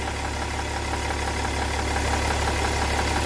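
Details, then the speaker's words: BMW M57 3.0 diesel (E60), left side of engine at idle: steady idle with fast regular puffing tick like false air escaping, some smoke seen there, loss of power; damaged exhaust manifold leaking, replaced. "so this is the left side of the engine I hope you can hear this like a false air running out"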